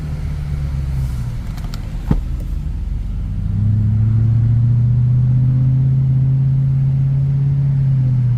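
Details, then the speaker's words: 2008 Mercedes CL63 AMG V8 after fuel injector replacement, driving in traffic; deep smooth rumble firming up under barely any throttle, even firing, no misses; sounds strong and healthy. "Sounds good though. strong now. Drives pretty good now. This is like barely any throttle."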